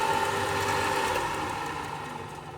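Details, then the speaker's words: Biltema BDS915 bench band and disc sander after replacing the faulty magnetic no-volt release switch: steady motor hum fades smoothly as it spins down after the emergency stop and never restarts; safety switch works properly. "điều đó có nghĩa là tính năng an toàn hoạt động. Máy chà nhám để bàn của tôi đã hoạt động trở lại."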